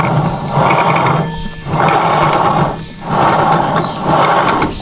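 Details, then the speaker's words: Honda Vario 150 scooter that sounds rough when ridden, CVT belt removed and rear wheel turned by hand: coarse grinding that swells and fades with each turn. Worn gearbox bearing suspected, possibly the pulley. "suaranya seperti itu jadi kasarnya Bukan main nah suara kasar ini bisa di bagian puli sini bisa di bagian bearing gearbox"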